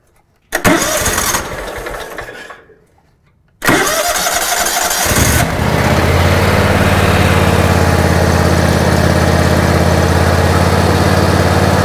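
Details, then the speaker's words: 2006 John Deere X320 riding mower with 1,500 hours, which didn't run: after a couple of cranks it catches and settles into a steady, even run with no misses; it now seems to run fine just from replacing the ECM. "okay so we're running better now that we've got that let's go ahead and try to give it some fuel right there guys we seem to be running fine just from changing that ecm right there"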